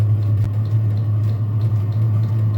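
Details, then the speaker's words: Chinese diesel heater running with its combustion air intake tube missing, exhaust routed out the garage door: a steady, deep, loud roar with no rhythm or misfire, loud because the air inlet is open. "None of them have this tube on it. This is an air intake tube, so that's why you kind of hear the."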